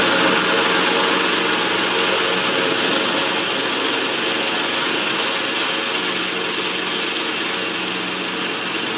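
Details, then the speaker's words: Cub Cadet Ultima ZT2 zero-turn mower with 60-in deck, final test on the grass after multiple repairs including fuel pump and carburetor: steady, even drone with no misses, surges or knocks; normal running. "It's probably kind of a long one because I I uh I had a lot of issues to work through on this cup kit at zeroturn, but as you just saw, it's running great. It sounds great."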